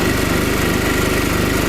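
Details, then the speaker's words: Chinese generator (about 50 kg, copper winding claimed) converted to propane, loaded with 2 kW hair dryer on second speed: steady thumping with thick labouring note, bogging from over-rich mixture set to protect valves; exhaust runs hotter than on petrol. "Вот он тянет 2 кВт но слышно что он захлебывается выключаю немного закрываю где-то Так 1 кВт 2 кВт вторая скорость 2 кВт 1 кВт И совсем выключено"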